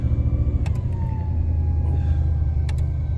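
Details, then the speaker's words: 1985 Pontiac Parisienne Brougham small-block V8 after installing a new warranty-replaced battery: fires right up and settles into a deep, even rumble with a brief fading whine; starts and idles normally. "Yep. Oh, fired right up."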